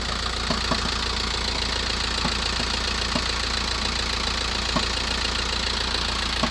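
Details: VW T5 1.9L 102hp diesel van on cold start after 24+ hours: sharp irregular knocks over idle clatter lasting about 7 minutes; rattle changes when clutch is pressed versus released.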